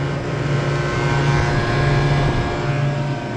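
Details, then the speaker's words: Walk-in freezer compressor starting and running normally after repair: relay briefly uses start capacitor then drops it out, run capacitor helps it run; start capacitor had exploded. Steady low even hum, no knocking or stalling; temporary fix. "so our relay is doing what it's supposed to do which is briefly using this capacitor to start it and then dropping that back out and then using this capacitor to help run it so i think we're going to be okay now"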